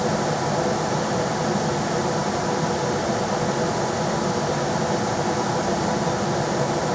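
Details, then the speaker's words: Rheem RBH residential air handler after its squeaking, non-serviceable blower motor was replaced with a 1030 rpm motor (old one 825 rpm): on high there is a steady, even rush of air with a smooth motor hum and no rubbing or rattling. Normal blower operation. "oh yeah that works good that's on a little higher or it's on high now"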